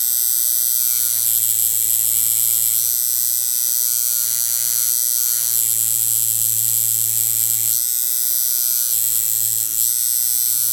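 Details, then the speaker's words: Coil tattoo machine while lengthening its stroke, run around 7 to 7.5 volts: a steady high electric buzz sags in pitch every few seconds. The machine is starting to bog and is barely usable. "So you can hear it's starting to get a little bit of a bog. And I can actually kind of use it, but not really."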